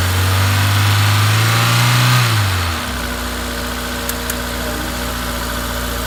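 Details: Honda S2000 F20C engine with new OEM Honda timing chain tensioner and rod bearings, thrust bearing, head, cams and retainers all checked OK: revs drop to idle, then a light, even tick about three per second persists; unexplained ticking.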